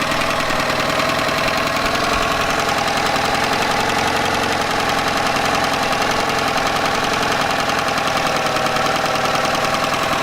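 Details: Yamaha 9.9hp outboard idling after replacing a cracked, dried-out carburetor diaphragm that caused heavy gas leaking; fast even popping idle, no stumbles or hunting, settles and holds steady; healthy.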